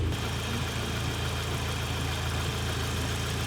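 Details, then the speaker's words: Audi TTS after APR Stage 3 with a Turbo Engineers TTE420 turbo installed, oil primed and cooling system not fully filled; first cold start, then a steady, even low idle while warming, no knocks or ticks; normal. "so now it's time to start it let's see what happens we're going to let everyone's healthy we're going gonna let her warm up a little bit here"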